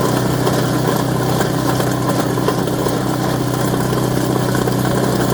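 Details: Craftsman Series 2 snowblower bought at auction, small single-cylinder engine with points ignition, run after reassembly and continuity check: steady, even idle with no misses or surging; sounds healthy, normal idle.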